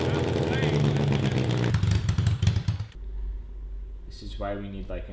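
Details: 1982 Honda CB750 engine for a cross kart, fine at idle but won't rev past about 4,000 rpm, during carburetor jetting: revs climb in ragged bursts then sag, with fire from the exhaust but no black smoke; suspected lean, high-rpm breakup.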